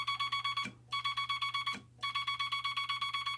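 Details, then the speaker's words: Telegraph bug keyer without dot stabilizer, dot contact screw readjusted: fast even dots about four a second, each with rough buzzy edge instead of clean tick; scratchy dot contacts. "It's got that kind of a scratchy sound that you get."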